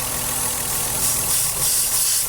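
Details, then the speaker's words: Ford Cougar V6 at idle, warm with heater working and no overheating: a steady, airy hiss sits over the even idle hum, unchanged with the engine; small vacuum leak. Driver also notes slight hesitation at very low revs, e.g. 5th gear at 50. "ici j'ai une petite prise d'air d'une dépression je sais pas si tu entends"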